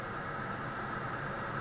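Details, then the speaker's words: Newly wired spray booth extractor fan switched on: steady, even rush of air with faint constant whine, no rattles or rubbing; normal fan running. "you can hear the fan is kicked in"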